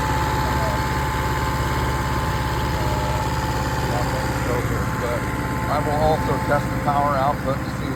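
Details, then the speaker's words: Restored Kohler 6.5 kW genset from a houseboat, running cold start at about 30°F while building power: steady drone with a faint intermittent chirp near the end; abnormal noise, cause unclear. "Uh oh. That noise right there."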